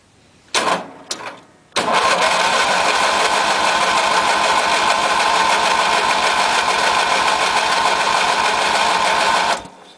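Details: 1993 MTD Yard Machines tractor, 16 HP Briggs & Stratton opposed twin, first spring start, full choke, half throttle: starter cranks steadily about eight seconds before firing, longer than usual; owner suspects carburetor empty of fuel.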